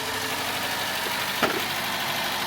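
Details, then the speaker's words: Mk3 Ford Fiesta petrol engine idling smoothly and evenly after the cylinder head was refitted following a burnt inlet valve, plus oil and filter change and coolant top-up; one brief click partway. "Oh my word, that sounds amazing. Oh my words. That is purring away. That is purring away."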